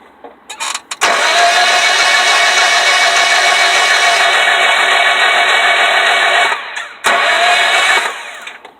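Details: 2001 Honda Civic that won't start: long high-pitched whirring bursts with a fast, even beat while cranking, but the engine never catches or runs. Crank, no start.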